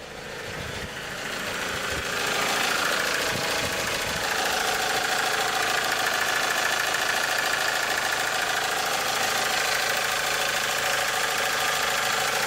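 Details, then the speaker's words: 1998 Toyota RAV4 petrol engine idling, light fast ticking top-end clatter growing as revs drop; owner suspects camshaft wear from neglected oil changes. "not come down an idle excellence you hear more clatter as it gets slower"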